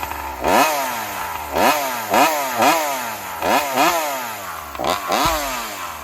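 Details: Joncutter 5800 chainsaw running on alcohol fuel: revs blip up and drop repeatedly in uneven bursts, each falling away then catching again, sputtering as if starved for fuel. Surging and stalling; the tank turned out empty.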